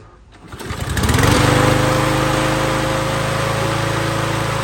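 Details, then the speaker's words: 2019 Toro Recycler mower after repair, carburetor emulsion tube suspected cause of running rich: catches within a second and settles into smooth, steady buzzing run with even tone; running clean. "that's what I like to hear that's exactly what I want to hear"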